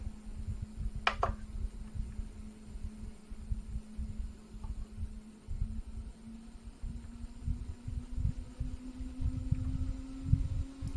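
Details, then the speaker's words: 24 V fan, run on 12 V low power, drawing well under its rated 0.1 A: smooth steady hum rising in pitch as it ramps up, good airflow, healthy. "can hear it ramping up. Still not 0.1 amps. Outputting a fair amount of air."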